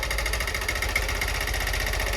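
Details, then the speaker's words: Honda Bros 160 motorcycle idling with rapid steady metallic tapping; owner suspects a piston knocking near the cylinder head and thinks a cylinder-piston kit is needed; cause unconfirmed, pending mechanic inspection. "aí pega a visão do barulho que está fazendo no motor galera parece ser um pistão batendo aqui em cima no cabeçote não parece ó se liga e pode crer que tem que comprar um kit aí tem que ficar cilindro pistão"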